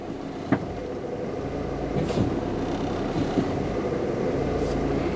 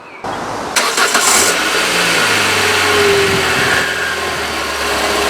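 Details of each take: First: Peugeot 206 petrol at idle with a sensor plug removed: idle rises slightly and stumbles with wavering beats and occasional thumps. Rough idle and hard starting; cause still unknown. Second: Peugeot 206, engine not fully cold: brief crank, catches promptly, flares to high idle then settles smoothly; normal start and idle.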